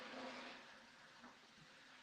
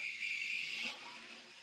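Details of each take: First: Model Flying Scotsman locomotive, warmed up after running a while, on 50% power: faint, even whirr and soft track rumble with no knocks, catches or surging; pulling freely and running smoothly. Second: A small model locomotive (the tug) runs with a thin, high hissing squeal for about a second, then it fades. It sounds dry, and the owner thinks the mechanism needs oil, though this is not confirmed.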